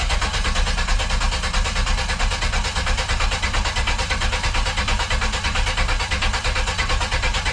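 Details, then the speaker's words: OBS Chevy project truck on its original engine, first start attempt: steady, even cranking for several seconds but it never catches. Owner suspects the worn distributor cap, old fuel or an unclipped connector; not confirmed. "No. So it's probably a distributor cap. I don't know, could be old fuel, could be me not knowing what I'm doing."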